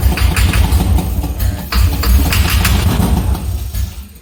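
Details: C6 Corvette with a junkyard engine on a Holley Terminator X, cranked with the jump starter in jump start mode: a fast, even cranking chug with a few weak catches that never take, then it stops. Owner unsure of fuel.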